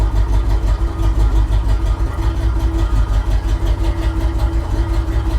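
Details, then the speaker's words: Truck with a red-painted engine, disconnected throttle-body hoses and wires, passenger-side spark plug boots hanging off, and a new ignition, jump-started: the idle lopes and stumbles in uneven pulses, running very poorly and misfiring, with a loud exhaust. "yeah it runs very poorly very Orly it's definitely got an exhaust on it"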